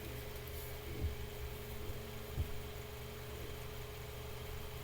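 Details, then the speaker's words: Mainstays 9-inch high velocity fan after cleaning, oiling and blade balancing, on medium speed in below-freezing room: steady, even low hum with a faint constant tone, no ticks or rattles; normal running. "you guys can see, that's still moving a lot of air. This is an extremely powerful fan."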